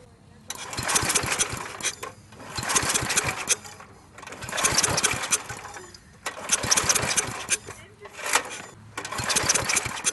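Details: Briggs & Stratton industrial small engine for an air compressor, replacement carburetor, fuel pump vacuum line first fitted backwards then corrected: repeated pull-start bursts sputtering and dying; extremely hard to start.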